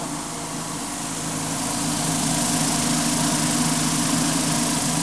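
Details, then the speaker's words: Industrial machine after bottom bearing replacement, freshly greased bearings; steady, quiet hum with soft hiss of media rattling at the top, no growl or rumble; normal running with good bearings. "that's how loud it should be very quiet actually um but most of the noise is right up here at the top"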